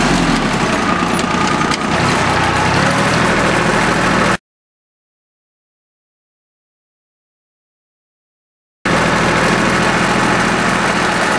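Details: Small Yanmar diesel with three injector lines, just restarted after air was bled from the whole fuel system following a fuel filter change that left it unable to start: even clatter at about four beats a second, steady with no stumbling or hunting.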